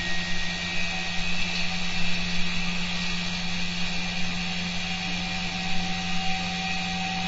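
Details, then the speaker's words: Three-stage stepped-coil generator test on a draining battery: an 11-ohm resistive load is removed and the rotor spins up, steady electrical hum and whir creeping higher as RPM rises. "take this load off the earth field do it just yet you're too close now watch the RPM go up and the current go"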